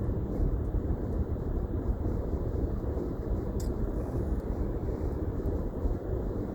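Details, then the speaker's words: New 2020 Toyota Highlander Platinum, 2,286 miles, cabin at 75 mph: steady loud rushing roar around both front windows, worst on the driver's side; bad wind noise, owner unsure whether a door or window seal is needed. "right now i'm going to speed limit which is 75 miles per hour and the wind noise is pretty bad"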